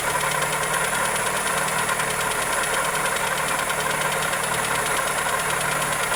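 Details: Toyota Corolla EE90 with 2E engine at idle: light, fast, uneven but continuous ticking over a thin, hissy idle; top-end tick suspected, not confirmed.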